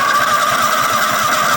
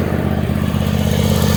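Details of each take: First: Toro Wheel Horse 266-H mower with a 26 hp Kohler V-twin and 475 hours, cranked without fuel on first battery hookup: quick, even starter chugging for about 1.5 seconds. Sounds healthy. Normal starter cranking. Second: Toro Wheel Horse 266-H mower, 26 hp Kohler V-twin with new fuel filter, fuel pump and apparently new carburetor: even idle with a steady low thump, overheating badly because a mouse nest is choking the cooling fins under the covers.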